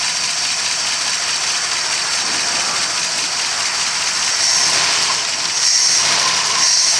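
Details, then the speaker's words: 1964 Studebaker Daytona at first start in 25 years: steady, even idle with 50 psi oil pressure and no knocks or bad sounds, before timing check; engine sounds healthy. "50 pounds of oil pressure at idle. It sounds good. I don't hear any knocks or any bad sounds."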